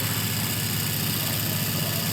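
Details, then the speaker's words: Small permanent-magnet DC motor on a lab trainer, starting by itself once the switch is turned on: steady, even whir with a low hum and no knocks or scraping, running normally. "Kita on-kan, dan si motornya itu udah langsung bergerak."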